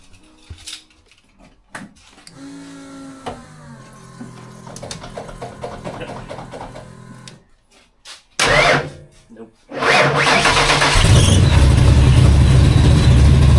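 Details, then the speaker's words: Ford Fox-body notchback with a freshly built stroked 408 Windsor V8. The battery is relocated to the trunk and cranked unreliably, especially when warm. This is a cold crank test: a short labouring crank, then it catches into a loud, lumpy idle. Cold cranking is acceptable. "well let's try to give it a crank before we do anything and uh just see how it is from cold"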